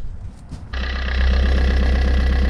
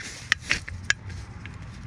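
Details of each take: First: Fiat 500, engine restarted with alternator belt removed: brief crank then steady even idle with no scraping or squeal, confirming the noise came from a failed alternator bearing. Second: Fiat 500 Valeo 90 A alternator removed and turned slowly by hand: short, uneven scraping clicks; it scraped with the belt on and noise vanished with the belt off, so alternator deemed faulty and replacement ordered.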